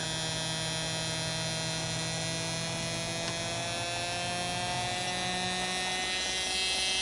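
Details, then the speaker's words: Singer Model 221 Featherweight sewing machine motor running after rehab (cleaned commutator, new grease wicks, brushes reinstalled); a smooth, steady high hum of even tone with no knocks or rubbing; runs clean, smooth and quieter. "i'm very happy it's very smooth and uh it's to me it's quieter it probably hard for you to tell"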